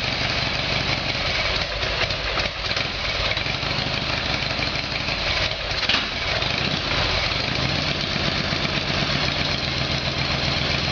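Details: Harley Evolution Sportster V-twin, cold start on choke after a carburetor repair: fires in a steady, loping beat, even and unbroken, with no backfires despite some being expected cold. It settles into a healthy cold idle.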